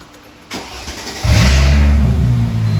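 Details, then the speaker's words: Mercedes SLK320, cold start in park just after a new ECU tune was flashed: a short crank, an immediate catch, then a firm, steady, not-too-high fast idle with smooth even pulses. The engine starts and runs normally. "So it's running on a cold start and park, not that high of an idle."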